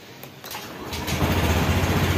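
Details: Honda Beat 2021 fuel-injected scooter, after manual ECU/ECM reset, EOT sensor reset and altitude mode set to mode 1; quiet clicks, then engine catches and settles into steady low even putter, no knocks or misses. Normal start and idle.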